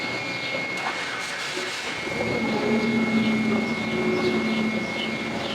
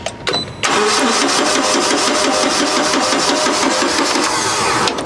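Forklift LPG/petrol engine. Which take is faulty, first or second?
first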